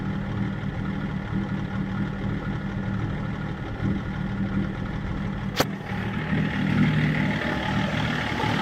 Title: BMW e39 530d rough idle INPA values